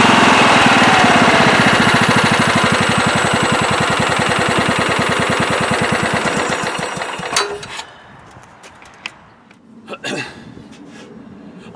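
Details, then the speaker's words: Late-1990s Scotts lawn tractor with single-cylinder Kohler engine, after carburetor cleaning to cure surging: steady, even idle beat with no surging, then switched off and winding down; normal idle. "yes seems to be running a lot better now when i first fired it up it did have a little bit of a surge and maybe it still has a slight hiccup but it's pretty good really smooth there low idle also that feels a lot better"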